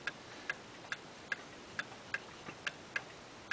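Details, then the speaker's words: Eight-day clock with Geneva stops, running in beat: crisp, evenly spaced ticks at roughly seventy a minute with no limp between tick and tock. An out-of-beat, heartbeat-like tick would stop it before eight days. "another reason that clocks sometimes don't go the whole eight days is is there out of beat um this one's in beat you can hear it it's ticking evenly"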